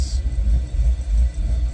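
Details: Chevy Caprice V8 with newly fitted ACES fuel injection, in closed loop: low deep idle that chops and dips unevenly; very lean, timing possibly too high, fuel table being adjusted.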